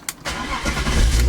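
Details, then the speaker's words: 1997 BMW 328i E36, 154,000 miles, long sat, suspected blown head gasket, check engine light on, probably from running hot; quick crank, instant catch, smooth deep idle with no stumble or knock. Normal cold start. "she cranks right up and uh [Music] sounds real sporty"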